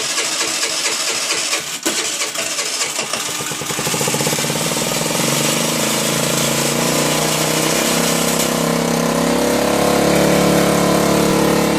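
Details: 2008 Baotian Tanco 50cc four-stroke scooter that can take 12 minutes to start: cranking with uneven catches, then fires and settles into steady, slightly busy idle; runs, but started hard.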